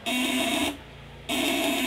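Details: 8-ons 12V contact-breaker inverter with 20 µF capacitors, tested at 200/500/1000 W settings: loud, steady buzz stops for about half a second then returns unchanged; inverter buzzing normally under load.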